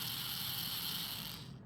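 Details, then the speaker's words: Roomba i3 spinning-brush motor, removed and bench-tested on a 9-volt battery, gives a thin high-pitched steady whir until cut off; motor is good. "so we know the motor is good if the motor was not it wouldn't spin"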